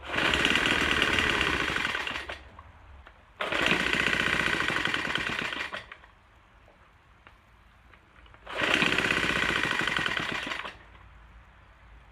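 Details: Troy-Bilt TB4HB EC leaf blower, unstarted 4–5 years, full choke, primed: engine bursts to speed then sags and nearly dies repeatedly, never steady, running rough. Breather loaded with oil; owner suspects compression leaking past rings.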